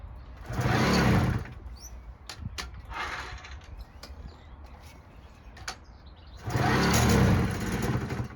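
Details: 1959 NSU Quickly two-stroke moped, chopper conversion, started on choke: two short revving bursts a few seconds apart with pedalling clicks between; catches and runs.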